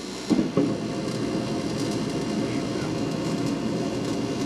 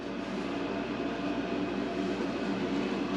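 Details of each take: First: Mr. Heater Big Maxx garage heater, under a year old: the exhaust inducer fan runs with a soft, even whoosh, no rubbing, ticking or squeal; normal and quiet, so the loud chatter must come from the blower fan. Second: Mr. Heater Big Maxx garage heater, under a year old, with its cover loosely refitted: a steady roaring fan with a rapid, regular rattling chatter on top, like the blades hitting something, though nothing contacts; the blower motor itself has broken.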